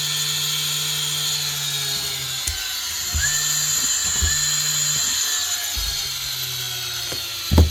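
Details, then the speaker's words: Makita 9069 9-inch angle grinder after repairing a bad lead connection (bearings also suspected noisy): motor spins up to a steady high whine in short even bursts, no stutter or cut-outs; now runs cleanly, looks and sounds much better. "nice one that looks and sounds a lot better"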